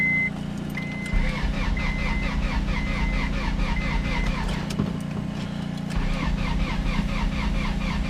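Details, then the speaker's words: Honda Prelude with rebuilt F20B bored to 86mm with K20A Type R pistons, stock rods, polished crank; first start after priming oil, on a jump box: steady rhythmic cranking with electronic beeps, then catches into an even run, no smoke. "Got it started up. That's my power steering pump. Don't worry about that."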